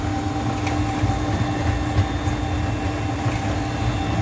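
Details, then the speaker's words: Juma 110 escalator cleaning machine on auto start cycle: steady low rumble under constant hum, vacuum on, cleaning solution dispensing, no grinding or knocking; normal cleaning cycle running to its end. "Vacuum is on. Cleaning solution is being dispensed out. Okay, that's the end of your cycle."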